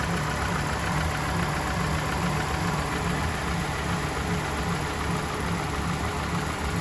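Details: 2021 Mercedes-Benz E350 (W213) after misfire repair with new spark plugs and ignition coils: steady, even low idle with constant rumble, no knocks, misses or stumbles; normal idle.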